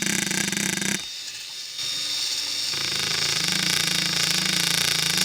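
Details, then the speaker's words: RC scale 'CV' joint at full steering angle: a high, rough buzz pulsing about four times per second. It shows the same non-uniform rotation as the U-joint, so it is not a true constant-velocity joint, just a universal joint disguised as one. "now let's try it at an angle so there you can see it makes the same non-uniform buzzing noise that the ujoint did"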